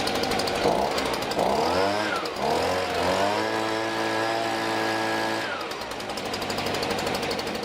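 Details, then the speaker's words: STIHL BG55 two-stroke blower after a new spark plug, air filter, fuel filter and spark arrestor, on fresh mixed gas: revs smoothly to a clean high whine and returns to an even idle. Normal running. "The blower sounds like it's running smoother to my ears."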